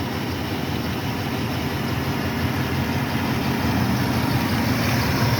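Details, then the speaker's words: 1976 Ford F-150, Motorcraft 2100/2150 carburetor, hot engine: steady low V8 idle with faint uneven pulse and slight shake, mixture slightly off; slightly low vacuum, owner suspects a vacuum leak; feels slightly lean on throttle. "Another way that you can tell, see how the motor's a little bit shaky. It's not much, but I can feel it. That tells me it's just a little bit not at the correct mixture."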